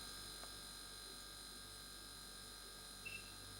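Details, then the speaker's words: Freestanding fridge with ice box: the compressor starts and runs with a steady, even hum and faint high whine, with no relay or overload clicking in and out. Normal compressor running. "Right, I'm just going to turn the compressor on and you will hear it start normally. That's the compressor starting and running normally."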